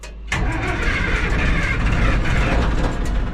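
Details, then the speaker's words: Minneapolis Moline A4T 1600 diesel tractor, chilly day, after fuel filter change: quiet cranking then a rough, uneven roar that wavers as it tries to settle; hard cold start. "Smoke, that's a good sign. It is a little chilly out."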